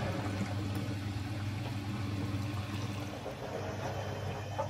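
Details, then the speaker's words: Bosch Serie 4 washing machine, 4 months old, 30-minute quick wash, final rinse with about two minutes left; soft water sloshing over low steady motor hum, no knocking or grinding. "there you go it is rinsing nicely as you can see there"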